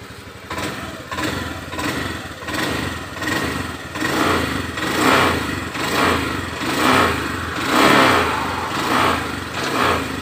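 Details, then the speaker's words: Honda Beat ESP scooter after valve adjustment and injector cleaning, fixing hesitation that returned after riding: engine revving in clean steady swells about once a second without stumbling, throttle now more responsive. "tadi udah dites jalan dan alhamdulillah berhasil untuk tarikan lebih responsif"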